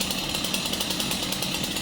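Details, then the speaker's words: Stihl MS 251 chainsaw that had bees inside, running just after a new pull cord was fitted. High, steady two-stroke buzz at even speed without sputter or dropouts; runs cleanly. "Whoa, she fired. That's surprising. Fired."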